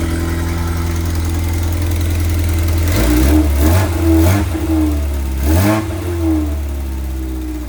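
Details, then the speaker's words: 1981 Fiat X1/9 after conversion from EFI to dual Weber carburetors, first run after revival: smooth, even idle picks up cleanly on three quick throttle blips and settles back without stumbling; runs great. "Uh not only does it run, I mean, listen to this. Perfect. It runs great."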